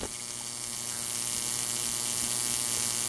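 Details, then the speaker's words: Neon sign transformer at about 6.1 kV: harsh, steady crackling buzz over a low mains hum as the lead bundle sings and the main spark gap arcs over. "this is uh 6.1 KV right here she's singing pretty good oh so the main Gap just broke"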